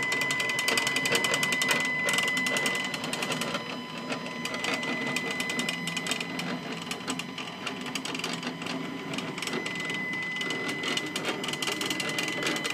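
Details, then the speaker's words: Stepcraft 840 CNC, new machine during setup, axis homing: rapid buzzy chatter with a thin steady whistle, louder than a smooth stepper should be; cause unclear. "man I haven't had CNC machines before but I'm pretty sure they're not supposed to sound like [Music]"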